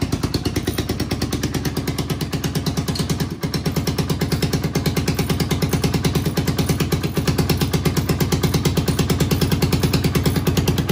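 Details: 1991 Honda TRX250X quad barn find, motor put back together and timed, carburetor refitted, fresh fuel, exhaust leak mostly fixed: single-cylinder thumping steadily, about three beats a second, even and strong with no rattle; healthy idle.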